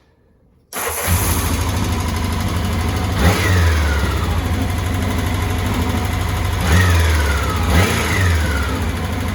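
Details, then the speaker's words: 1984 Honda CBX750, hot start after engine rebuild and reinstall, on booster pack due to weak battery: starter catches instantly, steady even idle, two clean throttle blips; runs nicely, idle perhaps a bit high, some oil residue burning off. "start very happy she's running quite [Music] nicely not too bad not too bad probably use the idle knocking down a little bit"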